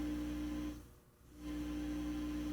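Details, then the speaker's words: Telefunken tube radio receiver with dial lamp and tuning eye lit: a steady low mains hum from the speaker fades briefly and returns, showing the audio section works; stations afterwards are very weak and distorted, with no eye deflection. "means that the audio section is working"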